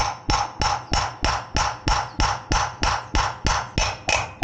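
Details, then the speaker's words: Indespension trailer wheel bearing replacement: even hammer taps about three a second on the bearing race, note turning sharper and ringing once the race is fully seated home. "There we go, you can hear the difference. That's it, that's all the way home."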